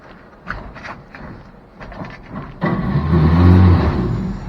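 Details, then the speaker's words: 1957 Chevy 3100 pickup, original six-cylinder, sat in a field 57 years; original starter worked by floor starter pedal spins with a light steady whir, no compression beats; Bendix not kicking out to engage flywheel. "Holy crap. That sounds like the starter's not kicking out. 57-year-old starter spins. But the Bendix isn't kicking out."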